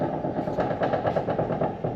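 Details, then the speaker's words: Nissan 350Z welded differential, wheel turned by hand during a wheel bearing check: quick regular metallic clacks about eight a second from excessive diff play, gear lash clunk from a worn, loose diff. "That noise is... Yeah, 100% the diff. Well, the diffs, eh?"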